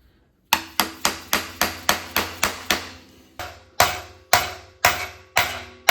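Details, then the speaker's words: 1997 Mustang Cobra engine install: pilot bearing tapped in by its outer race with a hammer, about two strikes a second; after a pause the strikes ring more solid as the bearing bottoms out, fully seated. "and when the Bottom's out you can hear the tone changed and uh there we go it's in"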